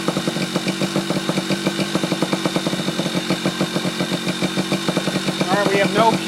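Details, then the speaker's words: Yamaha Chappy two-stroke after HPI ignition install, stator had been shorting to the case, owner suspects too many grounds: steady popping idle about three beats a second, slightly uneven but holding; now running, normal idle. "well ladies and gents we got a running"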